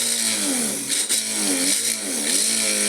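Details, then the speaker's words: Innocraftsman mini drill press drilling metal at full speed: high motor whine sags every second or so under very light pressure, then recovers; the motor bogs down. "And I'm not putting I'm not putting much pressure on there at all. Let me get my finger so you can see. I'm just putting I'm barely touching it and it's bogging down."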